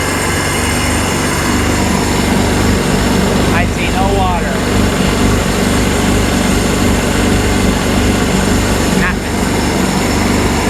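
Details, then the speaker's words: 951 two-stroke engine, running with the engine installed after a top end rebuild, with the cooling hose water flowing: a steady, even drone with no misses or knocks and water splashing in the background. Everything is working, normal running. "Sounds good too. Cycles through, everything is working."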